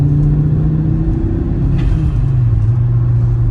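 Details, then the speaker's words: 1991 Audi 200 20V Avant turbo, warmed up, first drive after cylinder head repair and distributor gear fix, K&N air filter fitted: smooth rising engine note under throttle with brief blow-off valve whoosh. Healthy acceleration. "You can hear the blow-off valve a little bit after we put the K&N air filter on, and I think we'll call this repair good to go."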